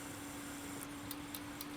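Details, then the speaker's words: PWM fan on an old AM2-era tower CPU cooler at max speed: a steady whirring hum with faint irregular ticks; the owner suspects tired bearings, and says it is inaudible when turned down. "Sounds like the bearings have seen better days, but when I turn her the frig down, she's not running much harder than that to cool one of these little APUs, and you can't hear it."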